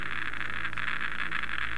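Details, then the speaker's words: Geiger counter detection head at a radioactive source behind a paper sheet: rapid even patter of ticks with no letup, beta radiation still getting through the paper. "e detection head right up to the source and as you can hear this one seems to be functioning correctly"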